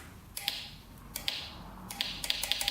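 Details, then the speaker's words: Yamaha TTR230 with a new battery, key on: light clicks, singly and in quick runs, but no cranking. Owner suspects a bad ground; the terminals are tight. "You can just hear it clicking. Clicking away. And sometimes this could be a bad ground or a loose terminal on here."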